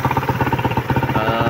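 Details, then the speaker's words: Engine idling evenly after the shop's remedy; the clatter it had at idle at first is gone, with a steady pulse and no knock. "So malagatak talaga yan nung una na naka-idle siya, malagatak. Pero ngayon, diba, wala nang lagatak."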